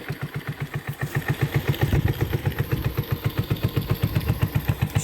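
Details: 1984 Honda 125 ATC after carburetor swap: even single-cylinder thumping at about four beats a second, steady; holds a clean idle on its own.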